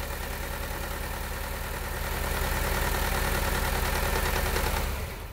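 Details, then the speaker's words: 2010 Honda Civic 1.8 L petrol automatic, code P0303, idling: steady low idle with an uneven pulse. Unplugging the suspect coil, swapped to another cylinder, changes nothing, so that coil gives no spark and causes the misfire. "Now what we're going to do is disconnect the former number 3 coil and see if that makes a difference. You can see there is absolutely no difference. So we know that this coil is not making any sort of spark."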